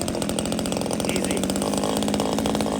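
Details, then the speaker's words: Proyama 26cc top-handle chainsaw, already warmed up a little: quick, even two-stroke popping at a steady idle without stumbling; starts easily, sounds like a modded CS310; normal idle. "how many cc's is that 26 that sounds that sounds exactly like the cs310 modded saw"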